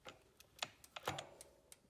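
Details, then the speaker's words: 72-volt BBSHD mid-drive e-bike with Phaserunner, rear wheel spun by hand: sparse, uneven light clicks from slack in the drivetrain, which can make the motor hit hard during autotune. "Like when I spin this wheel and it's clicking, there's some slack in this drivetrain,"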